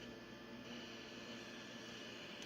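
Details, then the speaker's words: IFR 1200 test set under repair, probing the first dual-gate FET amplifier stage near R20 (about 2.7 V): soft steady hiss with faint fixed tones behind it, which the technician attributes to the input; receiver hiss at amplifier input. "It must be on the input because I can hear a bit of hiss coming on."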